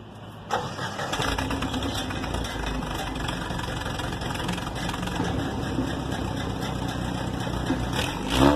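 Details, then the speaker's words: After repairing a glasspack muffler's broken baffle, which had rattled like a cowbell: the engine fires and a clean exhaust rumble rises with the revs and drops back, with no tinny rattle; the exhaust now sounds normal. "Little lie did I know that doesn't make much noise. It was the broken baffle. We have fixed that."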